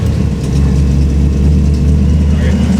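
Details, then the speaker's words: 1964 Chevy Impala V8 with Edelbrock carburetor, about 5 psi fuel pressure: loud, deep steady idle held noticeably fast without settling; turning it down did nothing, owner concludes it is ignition timing. High idle. "here okay here okay that's way too high so we're gonna go ahead and turn it down"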